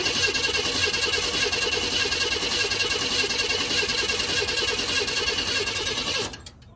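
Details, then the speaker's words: 1992 Chevrolet Camaro RS V6 that cranks but won't start: the starter spins it evenly for about six seconds and it never fires. It has a new fuel pump, filter, plugs, cap, rotor and injectors, and the starter is ruled out. "This is a 92 Camaro RS crank but no start."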